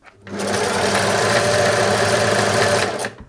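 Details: Singer 631G/611G sewing machine before full service: fast, busy clatter at speed with a rattly edge; runs noisy and rough, much quieter after servicing.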